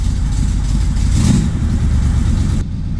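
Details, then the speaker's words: 1979 C3 Corvette V8 running after first start in a while on new battery, before warming to temperature: deep steady rumble with even beat, no knocks or misses; tachometer now working; running normally. "Man, it sounds good to hear this car run again. It's been a while. It's awesome."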